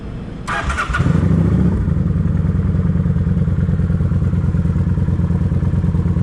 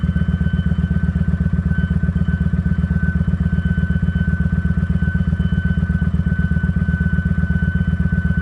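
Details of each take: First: Kawasaki Vulcan 900 after cleaning the fuel tank and clearing a clogged fuel pump filter: engine catches and settles into steady even idle with no squeal or whine; normal running, squealing gone. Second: Kawasaki Vulcan 900 V-twin at idle with a thin, steady high-pitched whine over it; the fuel pump filter is suspected to be clogging again, and the dirty fuel tank is blamed for the repeated fuel pump problem.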